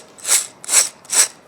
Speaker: You can hear the bearings now. They're good and clean.